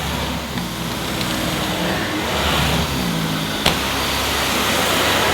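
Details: Dyson Ball Animal Multifloor vacuum: steady, even motor drone with constant pitch, no surging or rattle; running normally.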